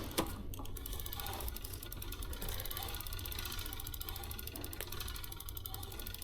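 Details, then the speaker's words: eBike wheel spinning during a tire change: a fast, regular whirring tick with a light scraping rub each turn, the disc brake rubbing on the rotor; the owner doesn't think it is a big deal. Disc brake rub. "So, you know, the brake right now, you can hear the brake kind of rubbing, but it's not uh I don't think it's that big of a deal."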